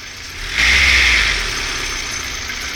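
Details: 1998 Honda CR-V cold-start squeal, absent when warm, worse at -5°C or colder, never in warm months: sharp high squeal over idle for about a second, fading to a hiss; owner suspects the condenser pump pulley.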